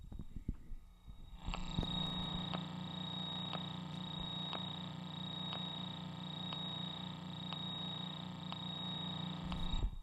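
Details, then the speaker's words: Shure SM57 microphone audio chain: steady faint hum with cricket-like chirps once or twice a second; electrical noise, cause unknown. "if I turn it up you can probably hear that it almost sounds like a cricket or out in the forest somewhere like you're camping out out in the forest you hear lots of bugs making noises"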